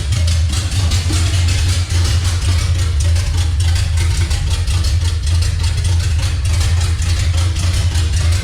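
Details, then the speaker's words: Chevy C10 with revived 350 V8 fired first time in six years, open headers: loud deep slightly uneven lope, steady, no knocks; runs but needs timing adjustment. Rough idle. "well it runs obviously it needs a little bit of timing work"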